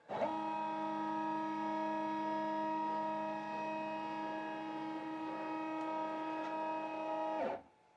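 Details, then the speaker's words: Shapeoko 5 Pro ball-screw CNC gantry jogging diagonally in X and Y at once: steady multi-note whine then clean stop; normal ball screw and stepper traverse noise. "I've never had another ball screw machine before, but it can be a little bit noisy, especially when it's traveling in both the X and the Y position at the same time."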